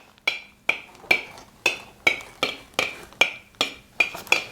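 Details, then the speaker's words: Home-canned jars with Tattler reusable lids, nearly four months in storage: eleven spoon taps, each a bright, clear ring dying away cleanly with no dull thud; all 28 remaining lids are still sealed. "And then just for comparison, that corn again, so you can really hear the difference in the sound. All right, so We still have 28 out of the remaining 28 that are sealed, and we're coming up on 4 months."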